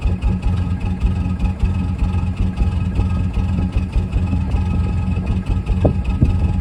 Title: Cold start, Mazda Bravo B2500. Bad glow plug causing rough idle??